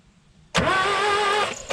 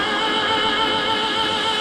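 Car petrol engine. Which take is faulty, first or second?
first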